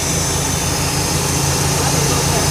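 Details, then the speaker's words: Lazy Daze 22' motorhome engine revving after exhaust leak fix with new muffler and tail pipe; loud, steady, smooth roar with no puffing or ticking, a little louder with the dog box open but quiet outside; exhaust now sealed, normal note. "Well, we have the dog box open. That's why it's a little louder. But if you come out, no noise! Awesome."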